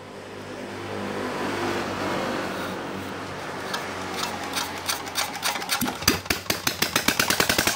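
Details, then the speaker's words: R180 single-cylinder diesel after repair for hard starting and lost compression (valves reseated, piston and rings replaced): catches and settles into even, regular thumps about four per second with good compression; normal running. "Oh ya baik tadi sudah kita coba ya dan sudah oke siap diambil pemiliknya mudah-mudahan awet dan lancar"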